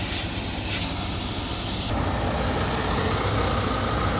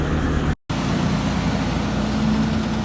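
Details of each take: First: Fully loaded truck with low air pressure: steady loud hiss of escaping air without rhythm; air leak from a failed brake chamber, later replaced with no leaks. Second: Truck after replacing a failed brake chamber that caused an air leak: steady low engine rumble with no hiss or whistle; air brake system holding, no leak.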